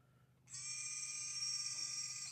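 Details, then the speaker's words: 1967 Chevelle electric exhaust cutout actuator, temporarily plugged in and switched before installing in exhaust: steady high-pitched motor whir under two seconds, stopping cleanly; actuator opens and closes normally. "we'll temporarily install it just plug it in and make sure it opens and closes with the switch"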